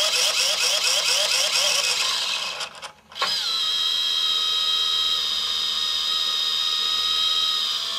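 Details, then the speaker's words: Hitec 785 sail winch servo holding a sheet on a standard drum under 1 to 2 kg load: high-pitched electric whine that dips, then holds a strained tone, louder as the load rises; servo labouring to hold position. "this is now one kilo load and you can hear the noise it's much louder so now it's two kilo load"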